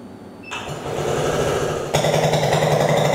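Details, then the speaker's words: Translucidus MT02 transparent Otto-cycle teaching engine, run with the muffler core removed via two Allen screws: sharp, raw popping at about three to four beats per second, louder and harsher with no silencer. Loud open exhaust. "É só pegar uma chave Allen e retirar o miolo do silencioso através desses dois parafusos. Esse aqui é o miolo do silencioso. Vamos ligar o motor agora sem silencioso."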